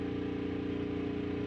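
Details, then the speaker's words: 6500 W gas generator charging a Tesla at about 247 V, load being raised amp by amp past roughly 2500 W; steady strained drone with firm hum, no hunting, generator really starting to do hard work under heavy load. "oh it's sounding like it's take it it sounds like it's really starting to uh do some hard work"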